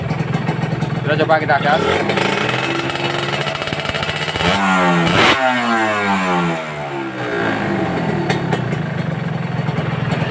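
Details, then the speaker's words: Kawasaki Ninja RR two-stroke after engine rebuild and clearing blocked cooling passages, engine previously rough and down on power: revs rise and fall cleanly through several blips, smooth with no rattle or knock. "halus atau masih kasar ya coba dengar suaranya ya ini mantap tidak ada suara sama sekali kan"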